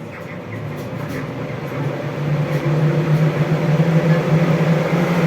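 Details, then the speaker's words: Vents 300 ventilation fan with newly fitted speed controller with timer: a low, steady hum that swells slightly as the fan speeds up, smooth with no rattle; barely audible now, unlike the loud hum on the old dimmer. "Да він гуде але вже не так як гудів тобто він ледве-ледве чутно зараз покажу"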